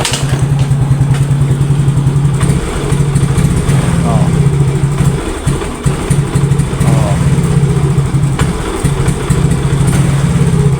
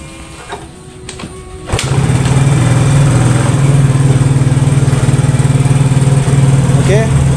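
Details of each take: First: Yamaha Mio GT scooter that starts hard and dies when throttled: idles lumpy, hesitates and sags on throttle then stalls; throttle body and fuel pump pressure to be checked and cleaned. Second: Yamaha Mio GT scooter that was hard to start and died on throttle, battery charged and reinstalled, now catches and holds an even, stable idle instead of hunting up and down; normal idle.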